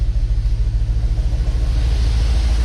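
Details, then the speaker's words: Dodge Dakota R/T, replacement 5.9L Magnum V8 from a Durango R/T, idling after a fresh install: deep, even rumble with a steady lope and no ticking or knocking; good oil pressure, and the engine sounds healthy. "This thing sounds good, you guys. Real good. Woo-wee. We might have a healthy motor, boys."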